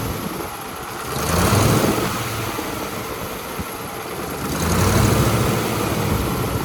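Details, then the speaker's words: Allis-Chalmers 440 tractor after repairs for loping and power loss: big diesel starts readily and settles into a steady, even idle with a couple of smooth rev swells and quick throttle response; running healthy. "It It [clears throat] sure started up differently. Start it up real good. And also, like I said, it idles good."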